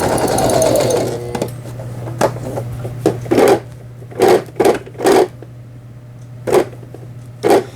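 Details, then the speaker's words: Brother XL-6050 household sewing machine after repair (worn plastic bobbin case repeatedly struck by the needle, replaced): pedal-driven forward and reverse stitching in short bursts, smooth quick whirr and steady low hum, no knocking or grinding; normal running. "자, 이렇게 해서 후진 버튼, 예, 정상적으로 작동되는 걸 보셨습니다. 전진, 후진."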